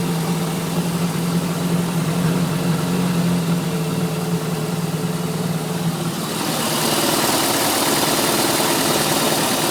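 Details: 3.7 MerCruiser boat engine idling: light, fast tick, roughly three per second, heard from idle up to 1000 rpm, then it goes away; the cause is unknown, and the motor starts and runs fine.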